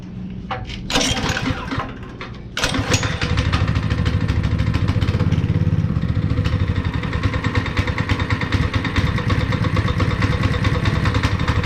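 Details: Honda GX160 5.5HP on concrete power trowel, unrun for years, after repair with cleaned spark plug: a few rough attempts, then catches at about 2.5 seconds and holds steady, even single-cylinder thump; running fine.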